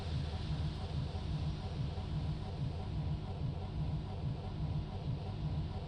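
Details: MB bus on a cold damp morning in Germany: low even rhythmic starter chugging, roughly two beats a second, never fires; cranks but won't start.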